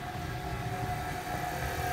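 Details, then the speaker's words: 2016 BMW X5 (F15) with rear air suspension sagging intermittently; pump triggered via diagnostic component activation to fill the air springs. A steady mid-pitched electric whine over a low motor hum; normal air suspension compressor operation. "activate let's see what happens you can hear the pump motor kicking"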